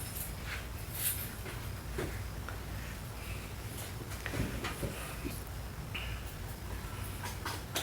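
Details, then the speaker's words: Volvo 850 T5 engine started with serpentine belt pinned loose to isolate a squeal: low, even rumble with no squeal, so the noise is traced to the serpentine belt path rather than the timing belt path. "Quiet as a mouse. Must be something in this serpentine path."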